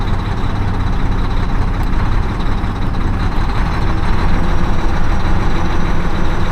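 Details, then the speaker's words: Mack semi diesel with repeatedly replaced injectors, after priming fuel in about 88°F heat: idle with an uneven, lumpy beat under a steady low rumble, a cylinder seeming to drop out; misfire, cause unconfirmed. "still sounds like it's not hitting right."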